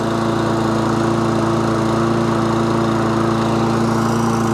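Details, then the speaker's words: Webb Briggs and Stratton lawn mower previously running rough, after carburetor work: even steady single-cylinder drone with no misses; now runs cleanly. "so yeah that sounds better yeah that's all good"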